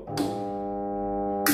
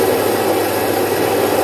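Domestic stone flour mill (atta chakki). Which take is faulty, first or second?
first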